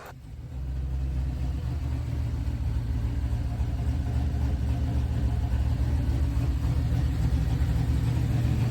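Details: Chevy Nova, cold winter morning start after six months of troubleshooting: low, lumpy idle with an uneven beat, one cylinder not combusting; injectors cleaned, computer sent out, new Holley harness, plugs, wires and coil already replaced, cause still unknown.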